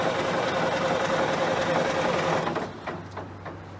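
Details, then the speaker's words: John Deere 770A motor grader diesel, sat five or six years, air being bled from injector fuel lines: steady rapid cranking about 3.5 strokes a second, stops without catching; crank no start, cause not confirmed. "I ran out of time yesterday tried to get this thing started"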